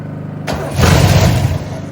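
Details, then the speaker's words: 1968 Oldsmobile Delmont 88, sitting 30 years: the starter cranks, the engine catches in a short ragged burst, then fades, dying whenever the starter is released. Engine dies when starter released. "Now it's dying every time I take my finger off the starter there."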